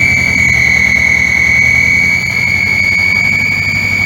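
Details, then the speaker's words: 1962 Land Rover Series 2a 109 LWB running: steady high whistle over low engine rumble at constant pitch, an exhaust/inlet manifold leak from stud nuts and clamp bolts not tightened to correct torque; fan belt and dynamo removed, so not belt noise. "further to that noise, I've sorted it out, and what you can see down along the exhaust manifold and the inlet manifold are some stud nuts"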